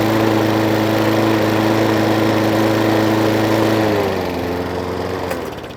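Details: Hayter Ranger 53 mower that would not reach full revs, after bending the throttle/governor spring clip forward: clean steady high-pitched drone at full speed for four seconds, then smooth wind-down; proper revs now.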